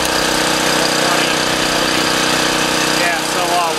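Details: Dayton Professional Duty 4000 W gas generator, after a no-start fix, at full throttle while outlets are tested with a grinder: steady, even high-speed drone with no surging, misses or knocks; normal running.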